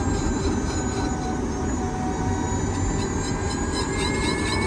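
A steady grinding rumble runs throughout with thin squealing tones drifting upward as speed builds; a drivetrain grind whose cause isn't yet known.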